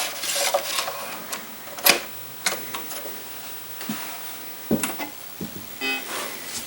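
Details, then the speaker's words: Apple IIgs 5.25" floppy drive, one that came with a mangled system, booting a disk: irregular scratchy chatter and short buzzes as the head seeks, no grinding; works despite being banged around. "well despite being banged around that one appears to be working a deep deep probe booted up just fine"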